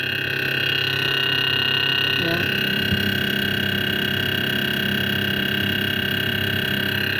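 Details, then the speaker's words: Refrigerator/freezer combo making a new, unhealthy noise: a loud, constant droning hum with a high steady whine. Loudest at the upper rear of the freezer, where vibration can be felt. Abnormal. "Här låter det. Allra mest här. Här. Här bakom mig. Det är alltså här ljudet kommer ifrån. Här uppe. Jag känner vibrationer här. Vibrerar här"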